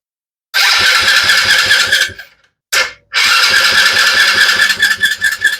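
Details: Small Chinese kids' ATV the owner says won't run and only fires briefly on starting fluid. After fuel is shot down the intake, quick cranking catches for a second and fades, then it runs roughly and stumbles, sounding fuel-starved. A dirty carburetor is suspected.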